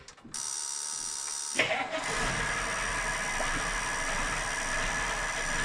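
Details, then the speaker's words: Caterpillar 3208 diesel water truck that had a fuel supply problem (about 30 psi fuel pressure, sucking the filter dry): it cranks briefly, catches and settles into a steady, smooth idle with white smoke. "it's idling way smoother that's how it normally acts or used to but then after it ran a minute it would suck the fuel down suck the fuel filter dry it definitely likes the fuel pressure"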